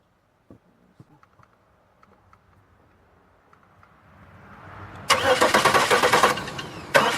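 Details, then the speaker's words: 2002 Chevy Malibu: clicks, then two bursts of steady pulsing starter cranking without firing; crank no-start. Ignition present and fuel pump running; owner suspects fuel problem with injectors not opening; unconfirmed. "so we have a fuel we have a fuel problem"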